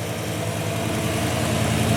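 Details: Newly rebuilt 347 V8 in an old Ford Mustang, idling after its first start following winter storage: a steady, even low rumble with no misses, knocks or ticks. The engine sounds great and healthy, unlike the new Mustangs.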